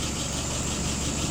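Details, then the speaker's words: Rebuilt and adjusted WO 636SA carburetor on a 1948 flathead V8, no leaks: low, smooth, even burble at idle around 675-680 rpm, no knocks or misses; fuel pressure a little over 2.5, vacuum 23, dwell about 42; healthy settled idle. "Final RPM, about 680. Looking 675, 680, looking good."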